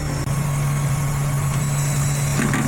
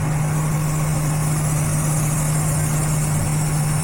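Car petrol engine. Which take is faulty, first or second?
second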